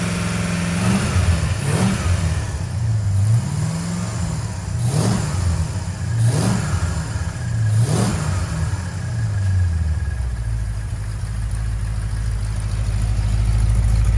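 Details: 1970 Plymouth Road Runner, freshly rebuilt 383 V8, first run in the car after a new temperature gauge, upper hose, oil-pressure-line leak fix and fan switch: several quick rev blips, then steady deep idle, clean; normal running with revs.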